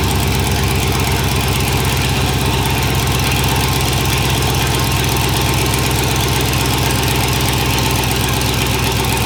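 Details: Monster truck school bus V8 after sitting all winter, running with no exhaust fitted and a makeshift fuel supply (fuel pump not hooked up, brake cleaner mentioned): very loud, raw, lumpy rumble with heavy low-end pulsing. No mufflers, unmuffled straight from the manifolds.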